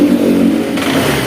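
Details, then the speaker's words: Honda Vario scooter that previously stuttered and died when throttled, after ignition coil and plug cap check: steady note then picks up cleanly on throttle blip without stumbling or dying; revs healthy. "Nah, sip ya, sudah sip."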